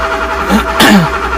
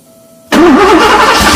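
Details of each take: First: Porsche 928 V8 with open headers, sat all winter and unstarted 15+ years; brief uneven cranking with a couple of weak pops, never catches, tach barely fluttering; no-start from crank position sensor connector fault. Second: Porsche 928 V8 (tan car) started after sitting all winter, first start in 15+ years: cranks briefly, catches at once and settles into a loud, steady, even idle through open pipes; non-start traced to crank position sensor connector.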